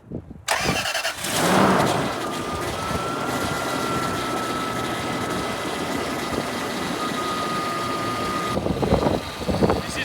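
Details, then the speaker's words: Toyota Land Cruiser, engine just started after coolant refill with heater on full: thin steady whine over idle from power steering pump; fluid found low, so power steering may not work. "Sounds like the power steering pump's a little sad. I don't know if I brought power steering fluid. Oh yeah, it's low on power steering fluid, so it might not have power steering."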